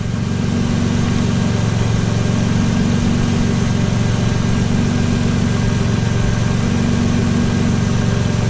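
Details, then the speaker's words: 2005 Nissan Murano whose battery died and which has no power; the alternator puts out only about 12 V instead of 13+. At idle it runs rough and lumpy with a thin steady whine riding on top, from the failing alternator. "Listen to that noise. Car has no power, and the battery died. The noise is the alternator, okay?"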